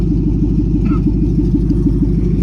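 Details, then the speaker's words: Ford S550 Mustang GT with nitrous, just switched to E85 on a new tune: deep, even V8 rumble at steady idle with no misses or knocks; air-fuel ratio 9.7–9.8, running good before test drive; normal idle. "Everything sounds good so far. E85 NO2 nitrous. Looks good so far."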